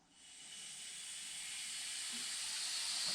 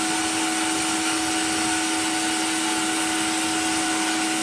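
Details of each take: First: Steady high hiss building as air is first put into a cheap blast cabinet setup from a charged compressor (compressor off): air escaping from an open drain. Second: Cheap blaster cabinet blasting a small metal piece, vacuum extractor on, pressure uncertain from unreliable gauge: constant vacuum howl with steady mid-pitched tone and airy grit hiss; extractor and blaster running normally.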